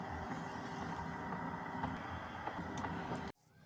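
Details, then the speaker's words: Hitachi MQ-25 turntable playing at 45 and 33 rpm: steady low rumble with dull uneven thumps; suspected worn idler wheel rubber and/or motor grommet rubber, plus tonearm vibration damper, unconfirmed. "now as you hear the sound of the video you can assess that it has a problem with The Idler Wheel rubber or the motor groomet rubber or both of the idler and the groomet has a problem"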